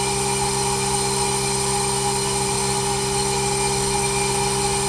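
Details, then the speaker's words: Newly upgraded heat pump system with an anti-surge protector fitted. A steady, quiet hum with a few fixed tones and no knocking or rattling. It is running normally. "Man. What a flippin' beauty. Barely hear it running."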